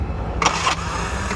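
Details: Bajaj auto rickshaw 205cc engine with a pickup problem: a short cranking burst catches briefly, then falls to a rough low rumble as it struggles to start; battery or starter is suspected, and the engine seems worn out, managing only about 15 speed.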